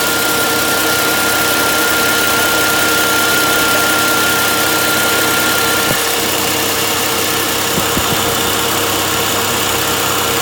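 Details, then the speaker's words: Six-cylinder Volvo V70 after a coolant leak and overheating, warming up with camera against the steering wheel: steady, even idle with a smooth hum and faint light ticking, no misses or surges, less vibration; normal idle. "yeah I've got the camera resting against the steering wheel obviously it seems a lot smoother now not so much vibration now she seems okay"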